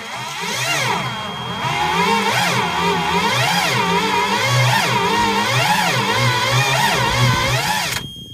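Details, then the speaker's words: Toyota 3K forklift, 4Y engine reportedly seized, fan missing, crank pulley bent, battery of unknown charge: sluggish cranking at about four labored pulses a second, starter whirring, no firing; owner suspects low compression, plugs caked, engine possibly cooked. "Does turn over. It's more than they said it did. H maybe no compression. It doesn't look like they've pulled plugs cuz they're awfully caked, but it is turning over very slow."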